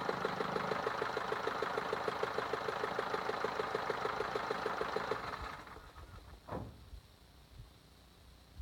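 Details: Steady knock at about three beats a second rides over the idle for five seconds, then dies away. Engine knocking, cause unclear.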